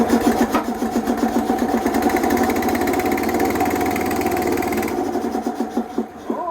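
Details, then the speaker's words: Small single-cylinder boat engine on Renko running on a plug borrowed from a Harley, old plug black: fast but uneven putter around 220 beats a minute with a stumbling beat; rough running, maybe water in fuel, unconfirmed. "It sounds like your Harley too. It does, doesn't it? Maybe a bit of water in there, maybe."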